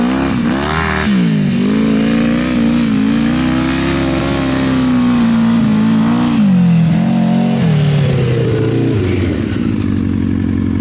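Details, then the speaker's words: Honda CBR1000 engine in a home-built off-road buggy, after gearing and shifter fixes and repeated oil changes. Revs rise and fall with a wavering, uneven beat and never pull cleanly; a miss is suspected, cause unconfirmed. "Does it feel like it has a miss or anything? It sounds like it's definitely not running right. It sounds like it has a miss, like it's It's definitely not running full power, but this thing is finally drivable."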